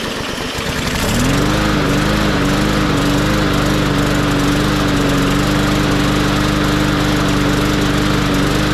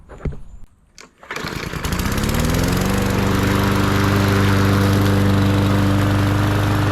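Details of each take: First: MTD 20-inch mower with Briggs and Stratton engine, first start after being filled to the top with oil (hydrolock), carburetor worked on, covers off: catches and settles into a fairly steady, slightly uneven, smoky run burning off oil; runs pretty smooth, may clear further. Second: MTD 20-inch mower with Briggs and Stratton engine, previously hydrolocked with oil, test run after repair: pulls over, catches within a second, then settles into a smooth, steady run with an even drone; engine sounds healthy.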